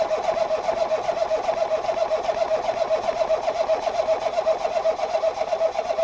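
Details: 2018 Ford Focus SE parts car with suspected water in a cylinder, plugs reinstalled after blowing out fuel-smelling fluid; even cranking about two and a half pulses a second with a thin whine, never firing; owner suspects a run-down battery; engine-fault warning displayed.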